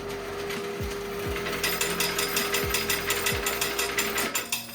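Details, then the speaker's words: Hamilton DRS-CRC car wash coin changer after a full hopper rebuild, manual test with tokens: quick, even metallic ratcheting clicks, about three a second, over a faint motor hum; counting and dispensing normally. "I'm going to flip it on. Looks like we're counting just like we need to."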